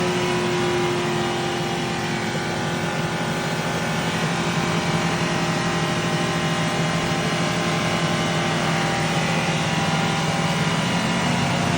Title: Bad wheel bearing only over 70km sound coming #automobile #mechanic #wheelnuts #automobile